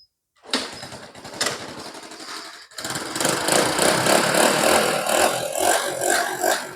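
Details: Honda Wave 100 S 2005 that had no spark at the plug, plug refitted: quiet handling, then the small single catches and revs smoothly with an even beat, no misfire; running normally, fault was the ignition box.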